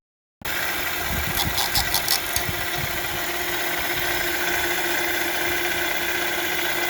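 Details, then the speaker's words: 2011–2017 Honda Odyssey 3.5L V6 after power steering pump rebuild (new gaskets and bearing) and bleeding air by turning the wheel: steady smooth idle, no whine or groan from the pump; normal idle. "Definitely sounds much better now. So everything looks good so far."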